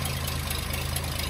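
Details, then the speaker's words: Daimler limousine petrol engine, first run in 32 years since 1990, carb checked and not leaking, running off its own tank: smooth, steady low idle with even beat, no misses or tapping; idling cleanly, slight condensation in exhaust. "But I now have a somewhat operable old limousine. That's just idling all on its own now, running off of the tank."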